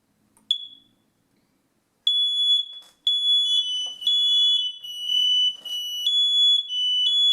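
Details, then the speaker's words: New hardwired smoke detector with battery backup, tested after pulling the battery tab, interconnected with the other detectors by a red wire. One chirp, then a loud piercing pulsed tone as the still-installed linked units join in; normal test with interconnect working. "And you can hear it setting off the other ones that are still installed."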